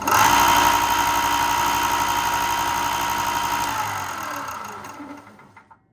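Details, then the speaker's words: Ryobi 4x36 bench top belt sander, about a year old, after replacing the bearings to cure a clicking noise: even motor hum with a steady whine and a smooth spin-down, no clicking. It now runs normally, though the wheel and belt alignment looks off. "it seems to have fixed it. I don't know if you can hear the difference on there."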